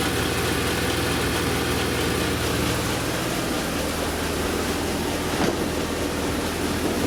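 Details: BMW M3 E36 S50B32 with VANOS, at idle: a steady idle with an odd irregular rattle over the engine note and one sharp tick near the end. Abnormal idle noise, cause unclear.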